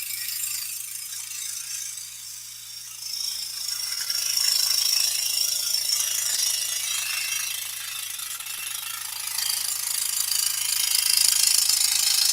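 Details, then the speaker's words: Scroll saw cutting a large piece steered by its outside edge, hands away from the blade: fast high-pitched rattling chatter about four hits a second as the unsupported workpiece bounces. "And the reason why that's chattering so much is because my hands aren't near the blade stabilizing the piece. Because I'm steering with the outside edge of this piece."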